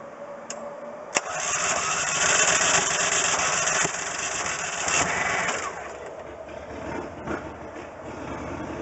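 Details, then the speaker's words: Rebuilt Briggs & Stratton engine on a Coleman Vantage 7000 generator, new gear fitted: sharp crank, fires and runs with speed swelling and easing before steadying; starts and runs properly, fuel spilled, needs tuning. "but i'm glad that i got it to fire up like that that's exactly what i'm looking for that's exactly the sound i want to hear in a site that i want to see"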